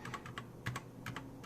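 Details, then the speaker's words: Unmodded, unlubed LK optical switches on a Keychron K4: a few separate keystrokes, each with a dry scratchy sliding sound on the way down, compared against the lubed switch. "can hear the sliding sound. So a lot of people call it a scratchy sound."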